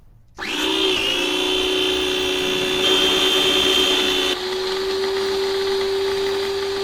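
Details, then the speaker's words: Draper pressure washer after pinion refitted with flat spot and welded grub screw: motor whines high, then tone suddenly drops and smooths; pinion held but spur gear, with bore drilled out from 8 mm, slips on its shaft. "No, it wasn't the pinion. The pinion was fine. The problem is with the spurgeear."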